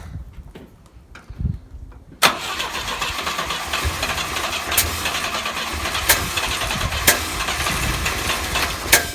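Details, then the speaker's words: Volvo 122S Amazon sitting 23 years, first start attempts with leaking old fuel lines: cranks, catches, runs unevenly with irregular pops and stumbles; owner suspects ignition timing slightly off, fuel spraying out; rough running. "I think we have a couple problems. I think the timing's off slightly, and we've got fuel spraying out of right here."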